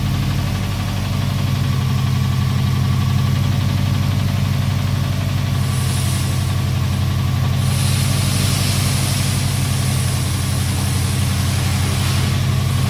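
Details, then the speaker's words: Subaru WRX with swapped JDM engine, after test drive in a parking lot, runs well otherwise: steady idle with a dull regular tapping about three per second; knock persists, cause not confirmed. "car runs really good I test drove it on the parking lot yesterday and I mean the only thing was the the noise"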